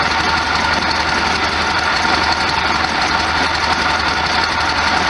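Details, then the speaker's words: 1973 VW Super Beetle air-cooled flat-four, after a cold start; self idle judged pretty good, vibration noted. Steady even idle with smooth hiss, no knocks or misses. Normal idle. "Ah, the sound of a high MPG motor. Look at that vibration, bouncing up and down. Smells okay. The self idle seems to be pretty good."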